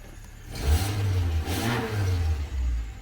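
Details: Car with a no-crank, no-start fault starts after the bent ignition key is straightened and made solid; engine catches and blips up twice in clean revs, then settles to a smooth even idle, no misfire or warning lights.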